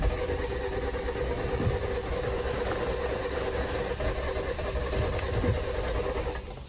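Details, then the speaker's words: 2018 Jeep Compass Latitude, lightly damaged rebuild with near-dead key fob battery: steady even cranking for several seconds that never catches; engine turns over but won't fire. "interesting it does not want to fire it just turns over a bunch of times"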